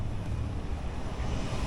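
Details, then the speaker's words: Furnace after blower wheel replacement: steady low airy rumble of the blower running smoothly, no rattle or violent shaking; motor, mount and bushings were fine, the blower wheel was the fault. Normal blower operation. "Anyways, we got a nice quiet furnace. Once again, I can cut this zip tie because this ain't violently shaking anymore. Nothing is violently shaking."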